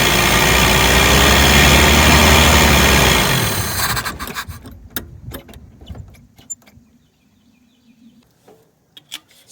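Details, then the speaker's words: 1983 Toyota 22R, sat 20+ years, after tapping the float needle: engine runs loud and even about three seconds, then dies abruptly; carburetor bowl empty, starving for fuel. "don't see any fuel in the bowl"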